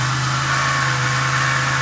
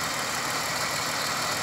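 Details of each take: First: 2000 Pontiac Grand Prix GTP that blew intake gaskets in January, noise appeared while driving around June, with bad valve cover leaks: steady idle with a dull, even knocking under the engine note, likely developing rod knock. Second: 2000 Pontiac Grand Prix GTP supercharged engine, silver parts car: steady, even idle hum with no knocking or ticking; sounds much better than the owner's other GTP, which has rod knock.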